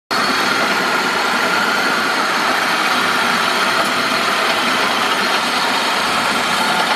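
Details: 2003 Saab 9-5 at steady idle: constant harsh metallic grinding hiss from the engine over the idle note, no change in speed; source still unknown.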